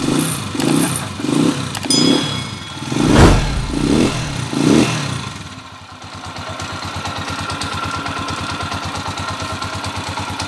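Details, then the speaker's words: Honda TMX155 motorcycle: a few throttle blips, then a smooth, regular idle with no knock or hiccup; it is now quieter and no longer stumbles. "Ayan na yung andar niya ngayon mga may Menor na at hindi na rin sinisinok sininok Ayan okay na"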